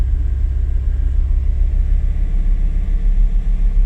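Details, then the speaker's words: 2007 Kia Grand Carnival/Sedona with rebuilt Denso alternator (new slip ring), still not charging: deep low idle with uneven pulsing throb, engine shakes; owner suspects it needs new spark plugs. "definitely sounds like good new could use some new spark plugs this thing is it's got a bit a shake to it"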